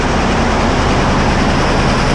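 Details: Т-150 tractor diesel that started knocking while driving, with a loose spring found on top; owner suspects a valve and plans to check the injectors: hard, steady clatter with a regular knock beating through it; cause not confirmed.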